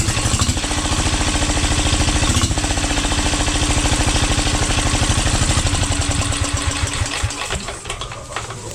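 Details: 12 HP air-cooled single-cylinder diesel, test run after overhaul; it had run once and then become hard to turn (owner suspected piston), valve clearance reset and oil added. Steady, even low thumping without knocks or misses, slowing smoothly at the end. Normal running.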